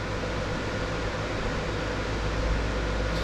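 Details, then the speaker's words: Closed-case mining rig with BTC-S37 motherboard and six RTX 3060 Ti on low fan speed, about 65 dB: soft even airflow over low hum, the power supply the loudest source, running normally. "donc pour moi en termes de bruit avec le système de ventilation c'est ça va c'est un souffle vraiment léger pl je le rappelle c'est l'alimentation et qui fait du bruit le plus de bruit"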